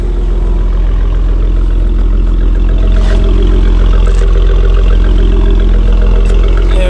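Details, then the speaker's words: First start after installing upper and lower intake manifolds, an 80mm throttle body and new coil packs, hot day with AC on: steady lumpy idle with sharp pops through the low rumble. Popping at idle, cause not identified. "got a lot of popping going though right here"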